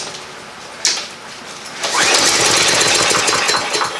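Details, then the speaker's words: Free lawn mower that won't start, starting fluid test: one sharp pop then a weak ragged two-second sputter that dies away; won't keep running, next step draining the gas and cleaning the carburetor. "oh that's kind of weak all right so a little cough here"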